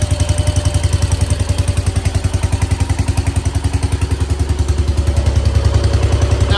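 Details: 1968 Case 155 garden tractor, revived by cleaning the points for no spark: strong, even low thumping at about three and a half beats per second, no misses or clatter; normal running.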